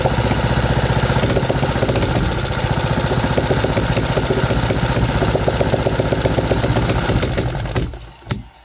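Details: 3D-printed 125cc single-cylinder four-stroke on its first carburetor run: uneven putter near 230 beats a minute that stumbles and dies; it responds to choke and richer mixture.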